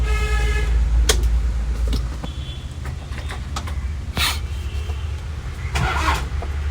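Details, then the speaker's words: Toyota Qualis diesel under restoration: low, labored cranking at about three beats a second that never catches; owner suspects the tank is out of diesel and plans to refuel and prime the diesel pump. "Guys ಯಾಕೋ start ಆಗ್ತಿಲ್ಲ vehicle diesel ಇಲ್ಲ ಅನ್ಸುತ್ತೆ"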